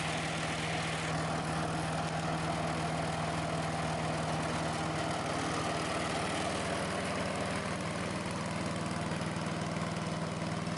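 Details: Sears Craftsman 9HP chipper/shredder, over 30 years old and unused 5–6 years, just after its leaking carburetor was fixed and bench-tested. Started on choke at half throttle; a steady, even single-cylinder chug with no misses or surging. Carb no longer leaks; may need fine-tuning.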